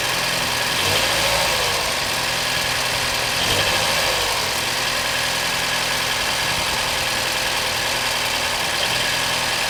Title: 2014 BMW 116i F20 engine noise/issue.